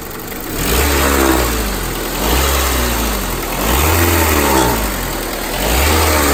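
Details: 2001–2005 Honda Civic LX engine revved repeatedly from idle: rough whirring rising and falling with engine speed, strange noise when accelerating; worn-out timing belt tensioner.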